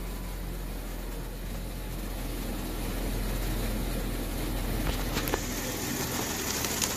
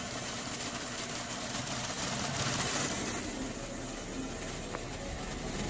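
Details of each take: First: 2016 Jeep Wrangler Unlimited V6 after swapping out a bad ignition coil that caused misfires. Low even idle with no stumbles, and misfire counters read all zeros. Normal idle. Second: 2016 Jeep Wrangler Unlimited V6 at idle, checked with scope: uneven beat that periodically stumbles; misfire from a bad ignition coil that worsens as it heats up, coil to be replaced.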